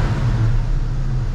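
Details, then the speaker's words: Restomodded 1949 Cadillac fastback with a big-block V8 and custom air suspension: a deep, even, burbly idle with a steady rumble and no knocks or misses. A healthy running engine. "cool that burbly v8 big block very yachty huh it sounds like one of our yachts running doesn't it"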